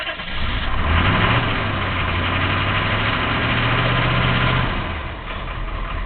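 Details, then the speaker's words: 1983 Chevy Suburban Silverado 6.2 diesel, unstarted for a couple of days, glow plugs via dash button, two new batteries: it cranks, catches, then settles into an uneven, lumpy, wavering idle after the cold start. Owner suspects it needed to rebuild fuel pressure. "She hasn't run in a couple days, so it probably needs to build a little fuel pressure up. It does have the the pressure back up, but as you can see, it takes a little doing, but it does get going."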